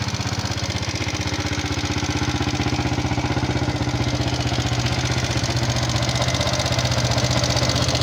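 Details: Fuel-injected Yamaha Jupiter MX King idling with a steady light ticking, about three a second, from the top of the engine; a rough klik-klak noise analysed before teardown, and the customer reports the radiator warning light always on red. Cause suspected, not confirmed.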